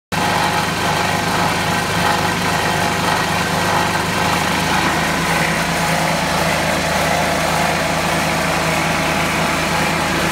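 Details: Club Car FE290 single-cylinder engine, valves correctly adjusted and oil freshly changed: a steady run with a light, quick ticking. It occurs in maintenance and drive modes with the belt on or off, louder at high rpm and after warm-up; no exhaust leak found, source unknown.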